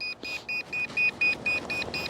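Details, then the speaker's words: Volantex Spitfire 500mm RC plane: rapid unbroken high electronic beeps about four a second, the low-voltage telemetry warning, heard from the transmitter in hand and also from the plane in the air. "Okay, so we have a low voltage warning. You can hear it beeping incessantly."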